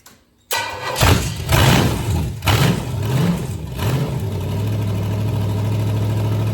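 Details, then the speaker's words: First start of a freshly built 461 Pontiac stroker engine on a run stand with open manifolds: brief crank, catches, few lumpy blips, then a steady loping idle; sounds like a healthy engine. "well that didn't sound too bad did it sounds like a pretty nice engine"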